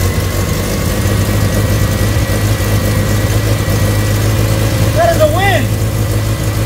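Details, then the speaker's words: 1979 Triumph Spitfire, sitting for a long time, first start after cleaning the engine ground, choke pulled; steady low smooth idle with no knocks or misses, fired up easily; clutch still stuck. "cannot believe that thing fired up that easy hope the wife's happy see you later"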